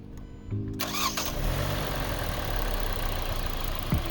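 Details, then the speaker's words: 2019 Hyundai Veloster base 2.0 (G4NH), odometer about 85,543, warm at operating temperature, before an oil change (Amsoil 5W-20 in for 7,486 miles): quick crank, clean catch, short flare, smooth steady idle with no knocks. Normal start-up. "But I just want you guys to hear how the engine sounds and how it starts up, just idling. So we're already up to operating temperature, so we're gonna go and walk out here and take a listen."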